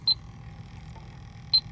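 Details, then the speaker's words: Hayward Heat Pro pool heat pump showing LP (low pressure) error, not heating: Elitech electronic leak detector gives two sharp high beeps about 1.5 s apart over quiet hum, confirming refrigerant leak at outdoor filter dryer, oil visible; repaired. "onic leak detector yep filter dryer is leaking it's one of the reasons why i started installing filter dryers inside instead of outside and protected from the elements so we're using the ellitech electronic leak detector"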